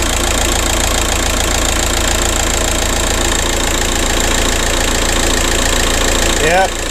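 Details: 2007 VW Caddy 1.9 TDI 105hp BLS diesel at warm idle after replacing alternator pulley and auxiliary belt/tensioner that had squealed and lost charging: steady even clatter, no squeal or chirp from belt side; runs smoothly.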